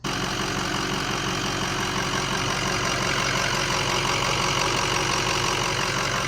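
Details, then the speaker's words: 2005 Ford F250 6.0 Powerstroke diesel with 10-blade turbo, idling: steady low rumble and vibration from the front of the engine that nothing touched or pried stops, progressively worsening. "it's in today for a weird vibration kind of rumbling noise in the front"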